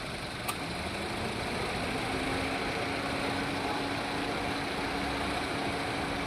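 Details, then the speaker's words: Toyota Etios Liva with misfire complaint, check-engine light and cylinder 3 and 4 misfire codes, cylinders disconnected one at a time: uneven, lumpy idle pulsing about four times a second. Removing 3 or 4 made no difference, implicating those cylinders. "दोनों का check करेंगे। निकालने के बाद engine में कोई फर्क ही नहीं पड़ रहा है। दो नंबर निकालेंगे।"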